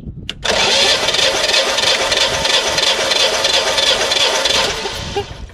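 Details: Generac standby generator on LP, leaking oil into the air box and hard starting, cranked with plugs out for a compression test reading 190 and 162 psi; steady uneven chug without firing, one cylinder weaker from low compression.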